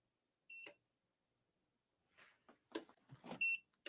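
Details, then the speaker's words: Portable power station at dusk: two short high-pitched alarm beeps about three seconds apart amid handling clatter; cause of the alarm not identified. "let me go take care of this freaking um beeping and let y'all hear it right now this is the a fiery and whenever it hits like strong dusk this is what I have to deal"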